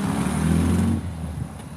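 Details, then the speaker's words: MGB GT after fuel pump points cleaned, fuel lines blown out, tappets rechecked and carbs reset, returning from a test drive: deep blatty exhaust rumble as the car rolls in and fades, runs fairly even; exhaust noticeably loud. "even though that exhaust sounds way farty brakes work it's all right"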